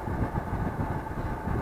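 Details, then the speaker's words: Atwood RV heater blower after motor repair, previously squealed 5-10 minutes until warm: even, steady whir with soft low rumble, no squeal or scraping; normal blower operation after repair. "But it's a lot better now. No more squealing. That's the main thing."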